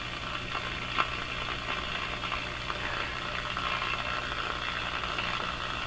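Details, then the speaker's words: Breadner (Bradna) JBL-37 tube radio with an intermittent fault; steady low mains hum under hiss, with scattered crackles popping in and out; cause not yet found, suspected tube contact or under-chassis component, probed by pushing tube socket pins. "You can hear that hum again. So what just happened now?"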